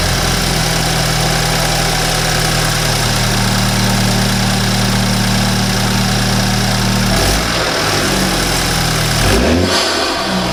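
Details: 2013 BMW 328i F30 N20 after installing an Injen intake: steady smooth idle hum, then clean throttle blips rising and falling freely, no leaks or odd noises; normal idle and rev.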